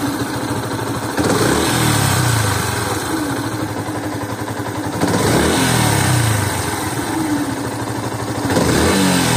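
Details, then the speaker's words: Yamaha FZS-V3 (BS4) at 6,041 km, just after an engine oil change to full synthetic: on revving, a faint falling whistle over the exhaust as each throttle release drops the revs; owner thinks it comes from the engine, cause unknown. "so please focus on the sound it's like this type like whistle type uh like this so it will be help me if you guys can tell what this sound causes so it's actually giving it when raving has been released right the throttle has been released then the sound is giving"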